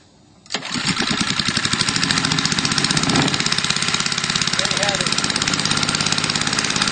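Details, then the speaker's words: A 3HP Tecumseh small engine (9.05 cu in) converted from gasoline to hydrogen gas, with the regulator at about 10 psi. It catches, then putters quickly and unevenly with a ragged edge and throttles poorly. A bright fire is blamed on incorrect hydrogen mixing; the owner suspects ignition timing. "and the bright fire that you just witnessed is probably a result of me mixing the hydrogen gas incorrectly I need to work on that it's a learning curve also the engine doesn't throttle really well and I think that's a a timing issue"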